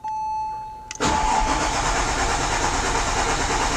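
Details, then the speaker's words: 2004 Porsche 911 (996) Turbo after an oil change, with the fuel pump fuse pulled to pre-lube. The starter churns steadily at about three pulses per second after a brief tone, never starting, while oil pressure rises to between 2 and 3. "And we're looking for this to get up to about two or so as we crank the engine over it. The engine should not start because we have the fuel pump disconnected."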